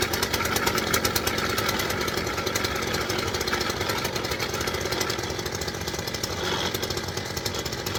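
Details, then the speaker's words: STIHL FS 410 C petrol strimmer idling: steady two-stroke buzz while the head keeps spinning when it should stop, showing the clutch springs have broken. "What you seen there was the strummer was the head was turning as it was idling, which tells me the clutch springs broke."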